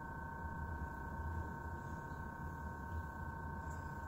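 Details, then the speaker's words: Truck with key off, battery drained, won't start even with a new battery: faint steady high whine from the dash vent that stops with key on; something electrical behind the dash remains live. "well it's making that sound keys in the off position he's off and the battery's dead"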